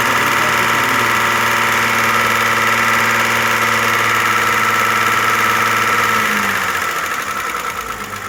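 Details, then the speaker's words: Audi A6 at idle after repair for wild lifter knocking (condensate and sludge found, oil like tar): light even top-end ticking fading gradually, one hydraulic lifter still ticking slightly; possibly damaged from oil starvation, expected to settle after an oil change. "Масло также стучало или громко? Да нет, она громче стучала. Уже мало. Потихоньку пропадает, постепенно."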